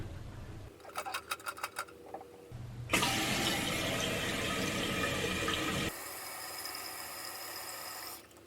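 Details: Toilet tank refilling after replacing the fill valve and raising it about an inch: a few clicks, then a strong rush of water settling into a quieter steady fill that shuts off cleanly; fill valve working normally after repair.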